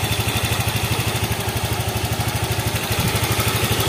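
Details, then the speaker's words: Honda Vario 125 after valve clearance check and new lighter KWN 15 g CVT rollers: even, steady single-cylinder idle, no ticking or knocking; the off-throttle CVT rattle is gone, no oil or coolant leaks. "Oke ini hasil akhir dari motor ini setelah dilakukan pengecekan ukuran celah klep lagi sudah halus bosku halus banget ini"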